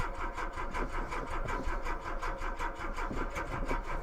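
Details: Mk2 VW Golf with Weber carburettor and mechanical fuel pump, first start after months sitting through an Irish winter, booster pack on; steady cranking with even compression pulses about five a second, no start, owner suspects dry float bowl.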